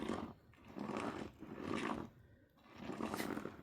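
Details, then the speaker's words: Fish house trailer tire turned by hand during a wheel bearing repack: a soft slushy swish surges and fades about once a second as loose ice slides inside the tire; ice confirmed once the bead was broken. "There's ice in there. Well, that's cool."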